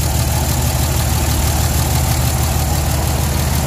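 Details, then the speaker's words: 03-07 5.9 Cummins common-rail diesel after injector reinstall: clattery idle with slightly uneven, lumpy beat, mild miss or rough idle; cause unconfirmed. "it sounds like it's got a little bit of a Miss in it maybe not necessarily A Miss but a a little bit of a rough idle"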